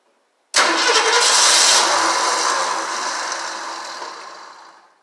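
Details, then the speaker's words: 1968 Mustang Gold Nugget Special, start attempt after squirting gas: catches with a loud rush, then fades and dies within four seconds; owner suspects losing spark once it fires, or wiring, not confirmed. "Well, it's like I'm losing spark once it hits. Here's everything's hooked up. Not sure why it won't go."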